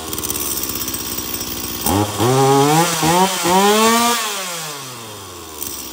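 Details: Stihl MS 170 chainsaw that previously would not shut off with its switch, after repair: fires and revs crisply in clean blips, oils, then winds down smoothly when switched off. Normal running.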